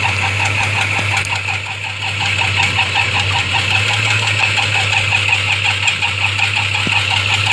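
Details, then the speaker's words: 1992 Ford Falcon EB II with an uneven, lumpy, rough idle that misfires, running on only about three cylinders. Spark tested well above expectation and compression was slightly down. "you remember so if you're wondering what all that noise was so did i it was so unhealthy and so unnatural and so much like a ford it also was only running on three cylinders or so go figure huh"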